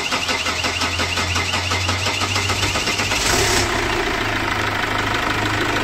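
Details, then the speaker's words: 2008 Chevrolet Captiva NFL diesel, hard to start cold or hot, with petrol sprayed into the intake as a starting aid: fast even cranking for about three seconds before catching roughly; fuel line and turbo path suspected, no warning lights shown. "Apabila mobilnya tidak mau nyala maka dia akan gunakan bensin untuk menyalakan mesinnya"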